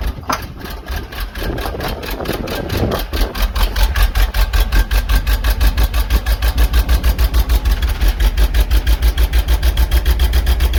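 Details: Box truck small-block Chevy V8, low compression, refired after refilling a cracked, leaking radiator with water: catches and settles into a loping, uneven idle with a heavy rhythmic pulse, a clear misfire; head gasket issue suspected.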